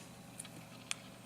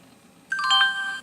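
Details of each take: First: NEC Versa 6030x laptop with IBM hard drive at power-on: two faint sharp clicks half a second apart as the IBM drive spins up; speaker and display also suspect. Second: NEC Versa 6030x laptop (Pentium 133, 16 MB RAM, 1443 MB hard drive) at boot: clean multi-note startup chime under a second, no buzz, rattle or distortion; the speaker works fine.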